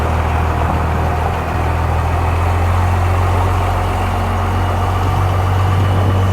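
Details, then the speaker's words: Cummins-swapped Ford, restarted after bleeding injectors following running out of fuel: deep, steady, even diesel idle, smooth low drone with no knocks or misses; normal healthy idle. "Oh, listen to that purring."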